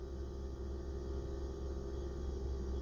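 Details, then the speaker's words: MG ZS EV on a warm-day motorway run to Glasgow: steady low hum under light road rumble as the liquid battery cooling kicks in, an even whir of the pump and audible coolant flow; normal cooling operation. "I don't know if you can hear that but the cooling has just kicked in just a minute or so ago"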